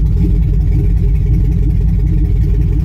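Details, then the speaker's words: 2005 Chevy Tahoe 5.3 L V8 with new plugs, wires and coil packs idles loud and uneven, stumbling about once a second with no trouble codes. "but we have a misfire : still I can hear it and feel it no no trouble code system normal so everything's gotta be good right obviously not"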